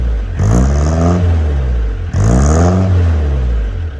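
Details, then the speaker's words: Peugeot J9 van, about 40 years old, cold start after sitting, just fitted with a homemade stainless exhaust and silencer: two blips with a mild rasp, not too loud, no blows or rattles; healthy exhaust note. "Got a nice little rasp there. It's not too loud. I think that sounds quite nice."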